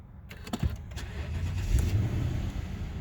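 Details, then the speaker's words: 2008 Lexus LS460 during pre-purchase inspection: quick crank catches cleanly and settles into an even low rumble with no knocks or misses; "they run pretty smooth", normal engine start. "they run pretty smooth"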